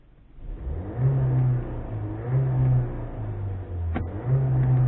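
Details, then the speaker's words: Seat Ateca, manual front-wheel drive, in sport mode: three clean revs rising and falling with a smooth, flat, muted drone and no knocks or rattles; healthy engine, owner just finds the note dull. "The noise of this engine is shockingly shit. I'm not asking it to sound like a V8, but listen to"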